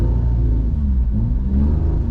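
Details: Suzuki Alto 800 with a cut exhaust, a pipe fitted in place of the damaged section: a steady deep drone while driving, louder and less full than stock but with the old metallic rattle gone; the exhaust now sounds sound.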